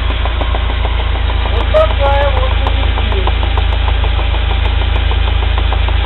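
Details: UAZ Patriot pulling away gently in first gear: steady clacking about three per second over the engine drone from the driveshaft; worn universal joint cross with play.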